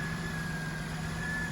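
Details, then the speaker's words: 2003 Pontiac Bonneville, 180,000 miles, recently fitted with a new coil and fresh GM coolant, idling: smooth, even low hum with no misses, knocks or stumbles; normal idle. "So I got a new coil on here and the car runs perfect."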